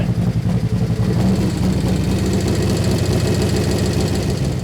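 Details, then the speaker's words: 2024 Harley-Davidson Street Glide 117 V-twin, first start after an Andrews 485 cam install. Lumpy idle with a light, irregular ticking over the thump; the hydraulic lifters were not primed and must pump up as oil pressure builds. "I don't think she's gonna run good, but the lifter's got to pump up."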